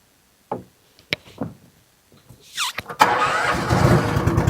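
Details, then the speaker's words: Honda-engined side-by-side ATV with carburetor, started in neutral after idle speed screw turned down slightly: cranks, catches and settles into busy, slightly high idle; fast idle. "now she's running a little bit on the fast side"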